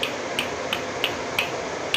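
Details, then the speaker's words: Motorcycle engine with crankcase opened, not running, oil dried out: sharp dry clicks about every third of a second as the connecting rod is rocked by hand; a worn rod big-end bearing gives this knock and later causes smoking. "এই যে sound আসবে দেখো এই যে road খারাপ হলে এরকম sound আসে"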